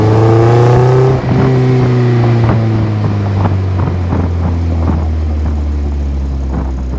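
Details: Toyota MR2 Spyder with newly installed PPE aftermarket exhaust, fast start: deep steady drone settling to even low rumble, no knocks — normal exhaust note.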